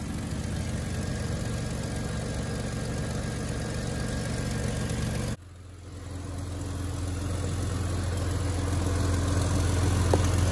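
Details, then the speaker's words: Jeep Cherokee XJ at idle after the AC was deleted (AC condenser removed). Even idle, then a strong, steady rush of air as the fan pulls freely through the now more open radiator; normal radiator fan airflow. "can hear the fan sucking through that radiator now real nice. You can feel it sucking through there."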